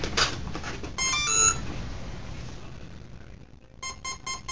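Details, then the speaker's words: New Skyangel (Hobby King) mini F-86 Sabre, DX8 transmitter bound: high repeating ESC alarm beeps and no motor spin-up while control surfaces move; ESC not seeing the motor, suspected bad ESC or incomplete motor wiring. "When I bind it, you'll hear the ESC alarm telling us that the ESC is not seeing a signal from the motor."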